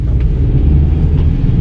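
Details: Rear wheel bearing on a 2020 SUV: deep, steady rumble from the rear while driving slowly on a wet road; owner reports it gets louder around 25–30 mph; suspected broken or worn rear wheel bearing.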